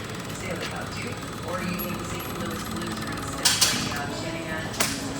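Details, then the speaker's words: Generator service after fuel filter change: switch turned on to refill the filter, electric fuel pump gives a fast steady ticking buzz, thought to shut off in about 30 seconds, run a minute; normal priming. "I always turn my switch on to fill my fuel filter back up. You'll hear it run. It's supposed to shut off in 30 seconds if I was right, but I just let that run for a minute."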